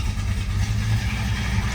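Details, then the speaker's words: 1971 Plymouth GTX big V8, bone cold after sitting overnight, cold start: deep, steady low rumble with even beat, no knocks or misses. Normal cold idle. "nice cold start there I'll show you the temp gauge you can see we're bone cold it's been sitting here overnight and nobody's moved"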